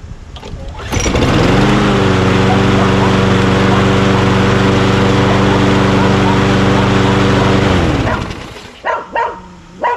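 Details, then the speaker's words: Craftsman push mower with Quantum engine, after the bail handle brake cable was replaced, oil at full mark: fires up and runs an even, steady drone with no misses or knocks, then shuts down. Normal running. "change the cable did that wiped it down took some pictures good to go i think runs really well man"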